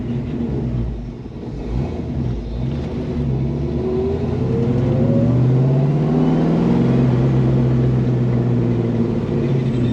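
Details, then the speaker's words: 1967 Mustang with 347 stroker V8 and manual gearbox, pulling hard through the gears at full throttle, deep rumble rising cleanly; full power restored, bad throw-out bearing and clutch fork replaced. "yes and I do have all the power back baby I got all the power back"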